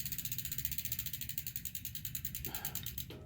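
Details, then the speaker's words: Bicycle after a new shifter cable and front (top) derailleur adjustment: crisp, regular light ticking and an even chain whir with no rubbing scrape. The derailleur now clears the chain, with no dragging. "Okay, no dragging now. So that's good."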